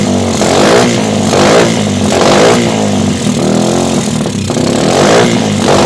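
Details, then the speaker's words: Suzuki GD110 scrambler that others had failed to start, after new spark plug, timing check and ignition work: single-cylinder now starts and revs cleanly, rising and falling smoothly with no misfire; strong healthy running. "Okay yan napakalakas na po ng kanyang power paandar na po guys yan Okay na po naputol lang po yung video natin kanina"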